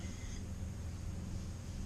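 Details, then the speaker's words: 2013 Buick Lacrosse driving, passenger-side rear wheel bearing: only low, even road rumble with no growl or hum rising over it; no noise, normal wheel bearing (the driver's side is the bad one). "Alright guys, here we are on the passenger side. No noise."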